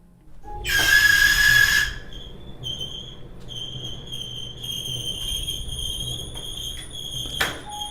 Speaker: more than likely is your either pulley but don't worry we'll go over the top two reasons why your machine is making these noises so the first one the squealing of course will be your dryer either pulley